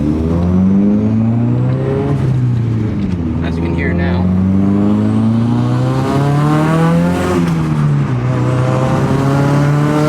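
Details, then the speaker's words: Nissan Silvia newly running on a Link ECU, cold start not yet tuned, driven under load with no muffler fitted. The exhaust is a loud, raspy, droning buzz climbing with revs, "like a swarm of angry bees"; a muffler is still to be ordered. "then i'm going to order the muffler to make this thing quieter because it sounds like a swarm of angry bees taking flight"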